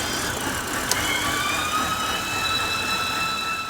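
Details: 2013 BMW 328i E93 with N52 six-cylinder at idle: loud high thin squeal like a loose belt, shifting slightly in pitch, stopping when the oil filler cap is unsealed; damaged CCV diaphragm in the valve cover, fixed by replacing the valve cover.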